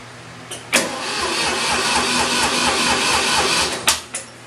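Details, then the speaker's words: 1972 Ford 2000 three-cylinder gas tractor with Pertronix electronic ignition, battery on boost charger: even cranking that never fires; voltage drops from 12.6 static to 9.6 while cranking, battery not charged enough, carburettor bowl dry. "You can hear it's turning over faster, but it definitely dropped to 9.6 volts. So I've got to get this thing more fully charged. The battery just is not charged good enough yet."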